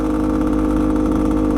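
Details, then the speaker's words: Bultaco Alpina 350 two-stroke on first test ride; steady drone with rough uneven mechanical rattle regardless of gear, even in neutral or clutch in, so not gearbox. Bottom end noise; owner suspects bearings, unconfirmed. "but it could be the bottom end i don't like the sound of that at all not one bit"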